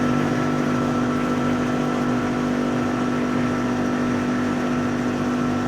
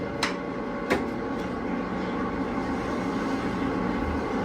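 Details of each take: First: Machine skimming Essex V6 cylinder heads, its hydraulic reservoir just topped up with 40 L of oil after running low. Steady, even drone with a constant mid-pitch hum and no knocking or grinding. Normal running. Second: Hydraulic pump started after draining emulsified oil and adding 20 L of new oil: steady drone with rough churning hiss and sharp knocks. It is cavitating because the tank is still low on fluid.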